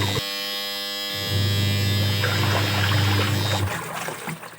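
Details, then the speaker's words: New LG washing machine at the end of a 15-minute timed wash: steady low motor hum with agitator swishing, then drive cuts out with a beep; normal cycle stop. "Beep സൗണ്ടോടുകൂടിയാണ് ഇത് നിൽക്കുന്നത് കേട്ടോ. ഈ timer നമ്മൾ set ചെയ്ത് 15 minute ആകുമ്പം കറക്റ്റായിട്ട് ഇത് automatically ഈ സാധനം സ്റ്റോപ്പ് ആവും."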